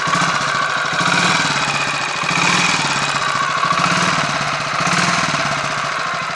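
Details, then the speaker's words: Royal Enfield 500 Machismo electric-start single after starter noise fix, 20W-50 oil replacing ATF in the starter sprag/freewheel area, cold with choke on: fast even chuffing idle with light whir on top, nothing knocking; much improved, normal idle. "I think that's a lot better obviously there's still a woring noise I mean you're going to get some degree of noise in a setup like that but um it doesn't all sound like it's going to do anything unpleasant in a blink of an eye"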